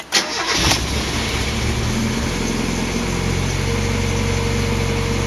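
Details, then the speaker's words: Mazda MX5 after an oil change to Mobil1 0W40 synthetic, starting after cranking with plugs out to prime the filter: starter spins briefly, then the engine catches into a slightly lumpy idle; rough from leftover fuel in the cylinders. "The reason it ran a bit rough is because there was a bit of fuel in the cylinders from when I was cranking it."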